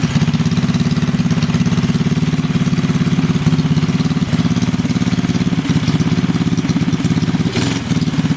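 Steady, even low putter at about three and a half beats per second with no knocks or rattles; engine idling smoothly.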